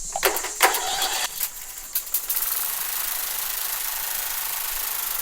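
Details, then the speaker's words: Husqvarna YTH20K46 46-inch riding mower after a new pre-gapped spark plug: a few cranking clatters, then it catches and runs even and steady. It starts easier, and the earlier valve-train tick is gone. "But the motor runs really well, so there you go. It starts easier, it should run better, it doesn't have that ticking noise"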